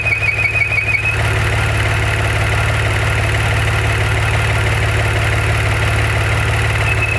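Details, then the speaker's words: 2014 Maserati Ghibli SQ4 after 0-60 runs, idling: a thin high squeal drops out when the dipstick is pulled, leaving a clean idle, then returns when it is reinsisted; likely a crankcase vacuum leak. "I'm pulling the dipstick here. When I pull the dipstick, the sound goes away. This sound goes away. Put it back on, sound comes back."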